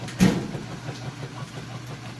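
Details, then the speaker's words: Whirlpool top-load washer on final rinse with a very heavy jeans and towel load: low steady motor hum with rhythmic swishing strokes as the agitator churns strongly; normal agitation. "It's on its final rinse. Just rinsing through and agitating those clothes. Like I said, mostly jeans and towels. Doing an excellent job."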